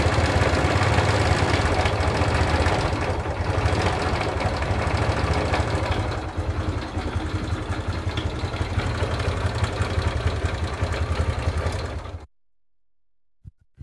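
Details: Honda CS1 motorcycle engine at idle: hollow low knock, about three or four a second, following the engine beat; the camshaft bearing has collapsed and the cam lobes are worn almost flat.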